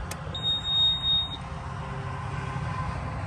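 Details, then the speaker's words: 2016 Bobcat E20 mini excavator, Kubota diesel: steady high-pitched beep for about a second over low engine-bay rumble as glow plugs preheat before cranking; normal glow plug preheat buzzer, then starts right up. "The glow plugs are going. Starts up just like that."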